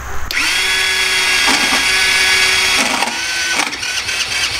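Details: Small 50cc Japanese quad that had sat unused for years, engine not seized, spark confirmed: the starter whirs high with uneven chugging pulses, stopping and restarting, but the engine never catches. It cranks without starting, so the carburetor is to be pulled.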